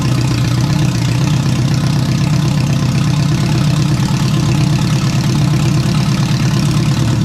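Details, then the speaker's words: Rebuilt engine in a turbo AWD wagon after a restart holds an even, deep idle with a smooth steady pulse and no knocks, ticks or misses, sounding better than the previous engine; normal idle. "we're gonna fire this thing back up and we're gonna hear it again it sounds way better than the last engine"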